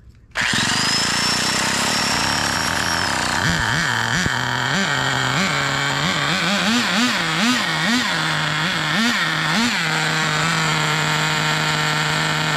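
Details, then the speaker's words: Turbocharged nitro RC car engine blips with pitch climbing sharply and revs more freely after the mixture is leaned, following rich-running and bubbling complaints; still not shifting into second, owner suspects burnt-out transmission or clutch. "oh that seems faster yeah that is faster still not shifting so we for sure burnt out the transmission or the clutch or whatever"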